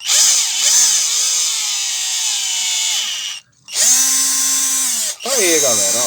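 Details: Hummer PLI12 cordless drill-driver, after repair (initially wouldn't reverse and made a strange noise), run on an 11.5 V supply: smooth, even motor whine spins up, cuts off and restarts cleanly in reverse, no grinding or clicking; normal running.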